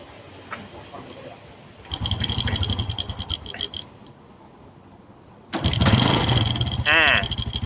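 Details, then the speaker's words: Honda Nice 110 motorcycle started by its owner: a fast, loose metallic ticking chatter over the idle from a timing chain that has stretched and gone slack, with other parts worn from age; the engine should be shut off. "ท่านได้ยินเสียงไหมครับอ่าครูก็บอกว่าเสียงเครื่องแบบนี้ดับเครื่องเลยครับเกิดจากโซ่ราวลิ้นเนี่ยมันยืดมันหย่อนแล้วก็พวกอุปกรณ์ต่างๆเนี่ยมาสึกหรอตามอายุการใช้งาน"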